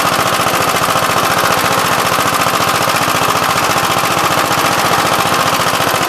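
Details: "Big Blue" 53 L single-cylinder engine after a plate patch on the cylinder, outside on a windy 24-degree morning: quick, even popping at a steady pace with no misses or knocks, running smoothly.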